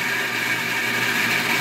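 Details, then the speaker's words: Submersible well water pump, after a repair for no pressure, filling the home's reservoir tank while the pressure gauge slowly drops. Smooth, steady hum with no grinding, rattles or surging: normal pump operation. "but if you can listen You hear that the tank is filling with the pump."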